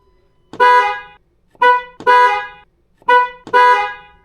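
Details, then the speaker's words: Ford Bronco after replacing failed stock low-note horn (had sounded high, Prius-like): five sharp blasts giving a clear full two-note chord each time. Normal dual-tone horn. "oh yeah see it's back it doesn't sound like a Prius anymore"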